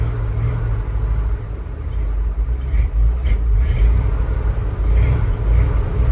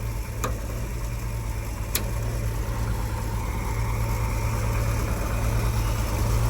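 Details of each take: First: 1976 Ford F-150 with a resealed 360 V8; lumpy, uneven low rumble with irregular loping beats, running rough and not yet able to hold an idle. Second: 1976 Ford F-150 V8, started on jumper cables after sitting a couple of months, not yet warmed up: steady, deep, even rumble with no misses or knocks; healthy cold idle.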